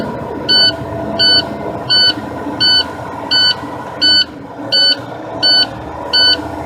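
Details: Truck during air brake pre-trip inspection, engine just started and idling, gear-driven compressor: even high-pitched beeps about 85 a minute over the engine. Low air pressure warning sounds until the compressor builds pressure.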